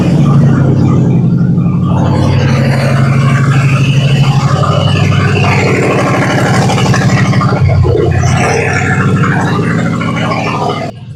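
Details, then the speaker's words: 1969 Ford F100 with swapped 4.6 V8 on open headers, no cats or exhaust: deep, very loud V8 rumble with punchy exhaust pulses at steady idle after topping up fluids; engine running normally, just unsilenced. "all right I'm not sure how good you can hear me cuz that engine is loud as heck man it's open headers we don't have no cats or no exhaust on it at all"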